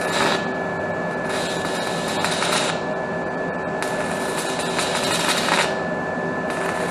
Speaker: And as you can see, it splatters quite a bit. Typical though, that's typical of a stick weld.